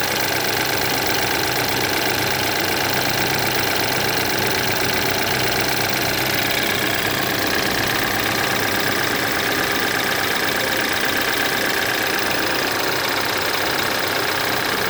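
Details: BMW F10 with N20 four-cylinder petrol engine idling after timing chain replacement, with a busy, fast rattling tick over a thin, bright engine note; timing chain noise is suspected, not confirmed.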